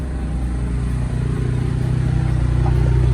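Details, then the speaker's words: Written-off, accident-damaged Ford ST from a scrapyard, first start after engine work and coolant fill: fires and settles into an even steady run, climbing smoothly when revved, no knocks or misses; engine done and running well. "Yo guys, day one start in a few hours. Everything is perfect. We're done with the engine."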